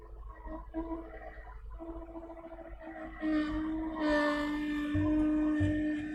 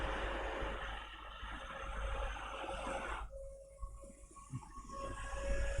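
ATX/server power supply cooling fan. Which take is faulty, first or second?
first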